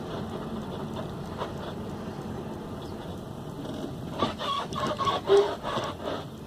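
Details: 2007 Hyundai Sonata front end: irregular rubbery chirping squeaks rise over a low rumble as the suspension moves. Front suspension squeak, suspected to come from the upper control arms, not confirmed.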